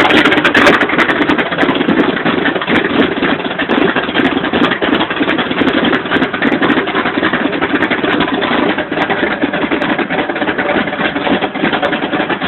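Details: '86 Chevy short bed V8 with Comp Cams Extreme Energy camshaft, flat-top pistons and cast-iron 2.02/1.60 heads: uneven, choppy loping idle about three beats a second, hunting and stumbling; rough idle.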